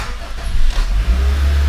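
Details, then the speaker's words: Honda Civic after manual transmission swap, immobilizer fixed, VTEC harness on non-VTEC engine, started in neutral without clutch: engine catches after brief crank and settles into a steady low rumble; first successful start. "there you guys have it. So we got life. It's completely started. I'm super pumped about this."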